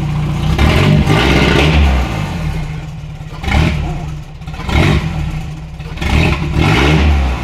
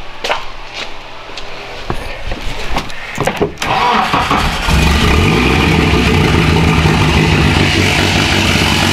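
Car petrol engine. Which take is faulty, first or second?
second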